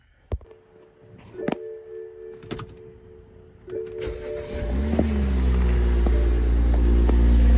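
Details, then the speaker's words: $1,000 junkyard BMW X5 running cheap temporary oil and transmission fluid, cold start on day 2: sharp clicks, then it catches into a loud, steady cold idle with no knock, expected to quieten; normal healthy cold start. "Man, that sounds amazing. It's crazy how that stopped. And it's gonna quieten up."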